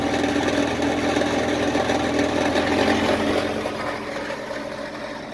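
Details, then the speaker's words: 2000 Jeep Cherokee XJ, 4.0L straight-six, idling before the MBRP cat-back install: a loose, tinny rattle over the exhaust note from the old rusty, leaking, patched exhaust. Exhaust rattle. "I'll start it up and let it idle. You can tell it's super rattly."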